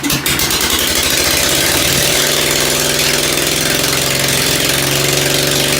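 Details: Ford engine just reassembled after tune-up, muffler removed, first carburetor tuning with only the high-speed needle set: loud open exhaust, ragged uneven firing and pops at low revs, then a harsher steadier roar; owner suspects low-speed mixture too lean.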